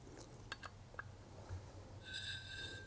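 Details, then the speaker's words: FX Maverick air rifle dual regulators: second regulator being opened until its adjustment screw is flush to bypass it; a few clicks, then a thin steady whistle of air through the partly open regulator; no whistle means fully open. "can hear it whining. When you don't hear anything whistling by, that means it's fully open."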